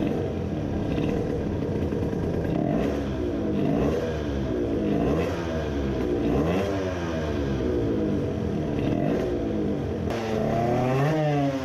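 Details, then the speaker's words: 50cc two-stroke racing moped with a self-cast cylinder on a new Italian race carburetor, idle jet size 40: revs hunt and sag, lean at low rpm with floating idle. At full throttle it sputters because the main jet is too large. "at low rpm it was lean and at full throttle it was sputtering the main jet is too large"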